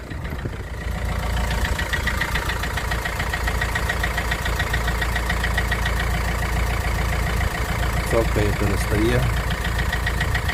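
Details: Opel Vivaro 1.9 diesel, cold start: idle with steady clatter plus an extra rhythmic knock riding on it; source unidentified, cause suspected, not confirmed.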